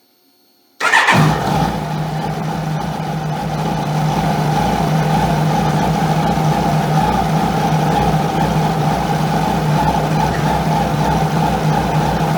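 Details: 2001 Kawasaki ZX12R barn find, 25 years old, stored about 20 years, first start on fresh fuel: brief crank, catches at once, settles into smooth even idle with steady hum, no knocks; normal start and idle.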